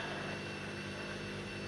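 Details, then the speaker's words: Washing machine on drain and spin after an E03 error was fixed: smooth, constant whirring rush with a faint steady high whine and no knocking or scraping, a normal spin cycle. "yeah but that's working God bless we've correct it"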